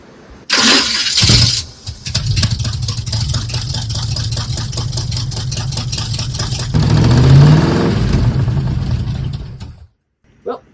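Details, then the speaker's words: Squarebody Chevy truck running on a swapped carburetor with a sticking throttle and missing return springs. It runs unevenly with a lumpy low rumble, picks up briefly when revved, then quits; timing and firing-order issues were also found. "it does run with this car. Yep. It doesn't run as well, No."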